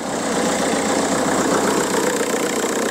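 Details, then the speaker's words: 2002 VW Golf PD130 diesel idling just after the injector loom was replaced. The idle is even and steady with light clatter and no misfire stumble; the owner says it purrs, loads healthier. "yeah loads healthier that though nope yeah listen to that baby purr"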